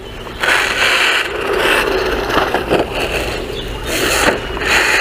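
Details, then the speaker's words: XLF X04a brushless 1/10-scale RC truck driven on the ground under load. Harsh scraping grind comes in bursts each time power goes down, the drive slipping and acceleration already lost; stripped differential gear teeth. "But once you put it on the ground where it has to actually apply some force, that's where we're seeing it. So yeah, look at that. That just sounds terrible. It's already lost some of its acceleration."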